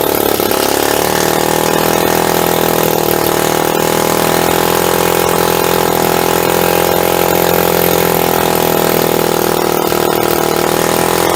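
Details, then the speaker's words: Hammerhead 250 SS single-cylinder after tune-up, carburetor needle jet cleared of dirt with brake clean, first start: loud idle with a wavering beat that rises and sags, rough and unsettled; owner thinks the idle needs adjusting. "Fuck, I think I need to just adjust the idle."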